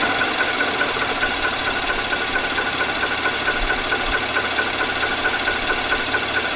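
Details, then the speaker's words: 2018 Nissan Armada 5.6 L V8, original engine before short block replacement under TSB; fast, hard diesel-like tapping at idle over busy engine hum; piston slap from scuffed cylinder wall. "this is a follow-up video to i did a knock engine knock video where the engine was sounded like a diesel pretty much"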